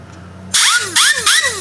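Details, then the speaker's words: Ford F-150/F-250/F-350 windshield washer pump after freeing its seized motor by tapping and compressed air and cleaning calcium and lime from the tank: three short high-pitched whirring bursts, impeller now spinning freely. "you can hear that right that's that's the impeller spinner now just by tapping it actually freed up the motor"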